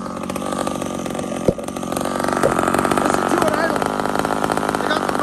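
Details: Homelite XL76 chainsaw with a stock chain: a small two-stroke buzzing at a steady, even idle with no stalling or hunting. The saw idles properly.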